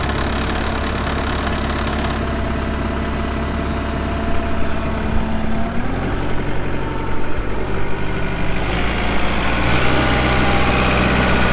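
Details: 2014 Kubota M8560 2WD tractor, 1,376 hours: diesel settles into a steady even low rumble, smooth idle with no knocks or misses; engine sounds healthy.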